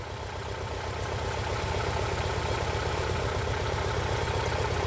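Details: 2011 Ford Escape 2.5 L with P0301 code: idle lumps and shakes about four times a second, an uneven loping beat; cylinder one misfire confirmed by power balance test.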